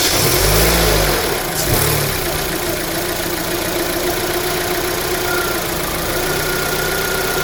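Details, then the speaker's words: 2009 Holden Cruze JG 1.8L F18D4 that blew white smoke from a bad PCV valve, after fitting a new rocker cover with built-in PCV: smooth, even idle, no hissing or air-sucking sound. "It's not hearing any hissing noise. So when we turn off the car, so nothing hearing any sucking air."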